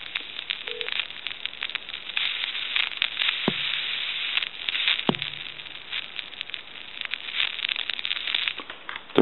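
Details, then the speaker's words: Takara French-style rotary desk telephone on a line with dial tone removed: thin static, crackles, pops and sizzling from the handset's worn T1 carbon-granule transmitter whose granules no longer align; transmitter removed. "all kinds of cracking and popping and sizzling coming from this handset and that's basically from the T1"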